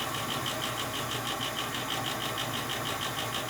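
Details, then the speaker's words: Old gas furnace noisy at night when the fan kicks on: constant rushing hum with a fast fluttering rattle, about three beats a second, from the motor up top; lubrication suggested; rattle. "It could be that that motor up top seems like it's a little rattly."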